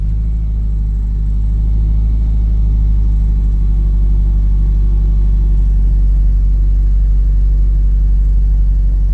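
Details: 1991 Eagle Talon TSi, sat over a year, after new timing belt, water pump, alternator and clutch fork, wouldn't start the day before: catches quickly and settles into a steady even low rumble about four beats a second; starts and idles normally.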